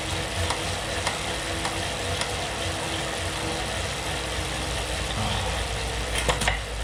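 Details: Elite Suito trainer under hard effort, 300-400 W at 100-110 rpm: light knocks about once per pedal stroke over the steady rushing whir; intermittent knocking under load.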